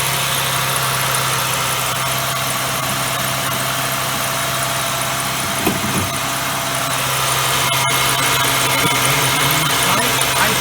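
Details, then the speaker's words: 2000 Ford Windstar 3.8 after replacing pinholed water bypass tube under the plenum with new gaskets and isolator bolts, first start: steady, even idle hum, light hiss, no air leaks or misses; running smooth. "yeah it's running smooth"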